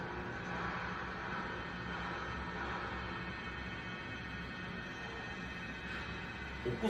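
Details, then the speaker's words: Bearing test rig in an FFT vibration-analysis NVH training demo: a steady whine with a low hum throughout, described as a typical defective-bearing sound; a good unit on the same equipment at the same speed lacks it and only shows belt noise. "몰러가는 엥? 소리가 나죠. 엥? 그러죠. 전형적인 베어링 소리입니다."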